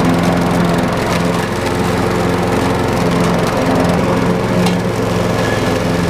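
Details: Craftsman 6.75 lawn mower that would not start after winter storage, running after carburetor cleaning (a clogged port or jet, bottom one suspected): steady drone with a regular firing beat, no misses or surging; runs smoothly.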